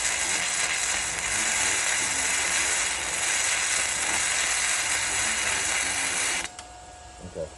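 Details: Arccaptain MIG 145P flux-core welder, gun now held very close with no settings changed. An even, steady frying-bacon crackle for about six seconds, then it cuts off: a smooth arc at the correct distance.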